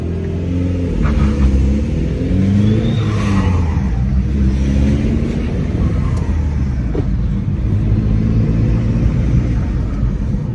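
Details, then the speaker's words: 2002 VW Jetta 1.9L ALH turbodiesel with new turbo and homemade stainless cold air intake, deep rumble rising and falling with revs under loud whooshing intake and turbo whistle; normal turbo spool. "just a stainless intake just using my time and that extreme noise that it makes now I mean it sounds like a freaking 18wheeler from the driver's seat"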